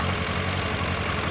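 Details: 2000 Kawasaki ZR-7 inline-four, $500 project bike, already warmed up, idling: fast, light ticking steady over the idle, keeping pace with engine speed; top-end tapping, cause unconfirmed.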